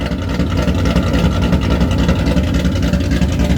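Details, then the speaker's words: Rebuilt, cammed Ford GT500 engine built toward 1000+ rwhp, first start on a base tune from Palm Beach Dyno: a deep, loping idle with an uneven, choppy pulse three to four times a second; big-cam lope, nothing wrong. "i dropped the base tune into the computer and started it up for the first time that thing sounds awesome"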